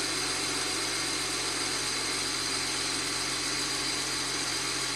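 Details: 2009 BMW 335i twin turbo, after replacing the exhaust camshaft position sensor (lost boost), warming up before a test drive: steady, even idle with no stumbles, ticks or hunting; normal idle.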